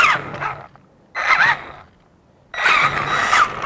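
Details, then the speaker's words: Traxxas Summit RC crawler on a tabletop, diffs unlocked, transmission switched by servo to low range: short bursts of motor and gear whine with pauses, clean gearbox, no grinding; moves slower and more controllably. "As you can see, it's moving a lot slower and much more controllable for being on top of a table."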